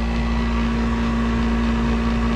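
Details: 1991 Snyder General dedicated-horizontal office furnace, burner lit after new run capacitor fitted: loud steady hum with fixed drone and rough mid-range noise, not much better; motor thought too far gone, blower motor replacement recommended.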